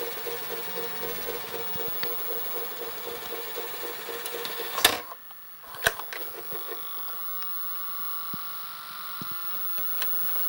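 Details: Panasonic NV-SD430 VCR (Super Drive, Z mechanism), irregular mechanical knocking and scraping about once a second from the tape transport with quieter whirring between; cause not yet known.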